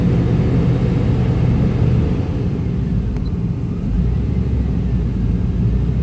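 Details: 1995 Chevy Tahoe K-series 5.7L V8 idling rough: uneven lumpy beat never settling; scan shows throttle position sensor not communicating, truck won't shift, TPS replaced twice; owner suspects wiring; smoke seen near passenger-side headers.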